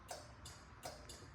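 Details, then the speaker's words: Craftsman zero-turn mower at key-on: crisp clicks about every third to half second as relays and fuel shutoff solenoid energize, confirming safety switches working; normal. "that's everything coming alive. And another thing that actually is clicking, that is a fuel shutoff solenoid. Again, if that doesn't click, you can feel it, you can hear it."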